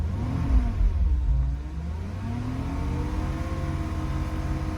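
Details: Porsche Cayenne Turbo 958, heard from inside the cabin: a thin turbine-like whirring whine climbs and falls with revs; owner wonders if it is normal or a pulley or bearing noise, source not pinned down.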